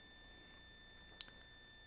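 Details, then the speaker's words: Audio in garage during live stream, phone moved away without effect, suspected power adapter: thin steady high whine with one faint click; ground loop whine, later fixed. "all right still a power adapter sound oh let's see if this fixes it what about that sound does that fix it"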